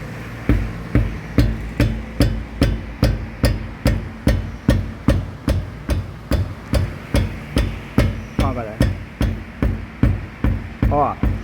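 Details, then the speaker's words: Ford Fusion with excessive suspension noise, steering rack previously condemned by other shops: the tire is struck, giving knocks about 2.4 times a second with a short metallic rattle. A loose brake caliper is suspected. "e a gente tá suspeitando aqui né que seja a questão da pinça do freio aqui né"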